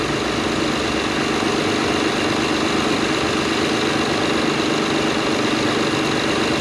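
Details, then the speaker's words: Acura TL that had a cylinder 6 misfire, idling after replacing a coil and spark plug: a steady, even idle with no stumbles, no longer missing. "uh perfect you can hear now how it's not missing it actually sounds really great better than it"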